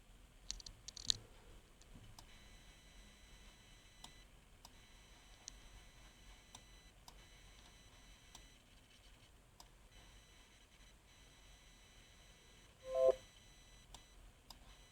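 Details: ASUS X550VX notebook: faint high electronic whine switching on and off with occasional soft clicks when the mouse moves, seemingly from the graphics card; coil whine suspected.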